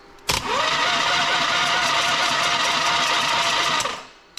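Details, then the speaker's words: Harley V-twin in an off-road trike build, newly rebuilt engine with new starter solenoid and ignition not yet installed; steady high-pitched starter whir spins it over about three and a half seconds evenly; normal cranking. "So it turns over now. It's one step."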